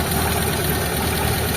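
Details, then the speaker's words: Mitsubishi Lancer "itlog" stored for a long time and hard to start: idles with an irregular stumble instead of a steady pulse. Rough idle misfire; source still to be checked. "Medyo matagal lang naka-stock kasi ito, kaya ayan, medyo hirap siyang umandar. Tapos yung idle niya palyado mga bossing."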